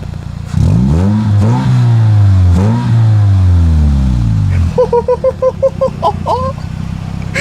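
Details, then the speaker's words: Car just fitted with a new exhaust: several clean throttle blips, revs climbing and falling smoothly with a deep even exhaust note, no misses or rattles. "I love how that sounds I love it"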